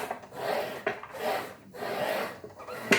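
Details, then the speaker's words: Ryobi 18V brushless slide compound miter saw PBLMS01B, slide pushed by hand with the motor off and lock released: uneven dry rasping rub on each push, not as smooth as the other unit though minimal effort; slide rail binding and dragging. "This one's not as smooth as the other one. The other one, I would say, was like butter. This one was a roughness to it, but it's, you know, minimal effort."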